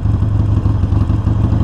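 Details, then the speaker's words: 2019 Harley Sportster Iron 1200 coasting to a stop on light rear brake after cleaning the pad backs and retaining clip, no lubricant used: deep steady V-twin burble, no squeal. Rear brake squeak fixed. "all right no squeak so yeah there you have it"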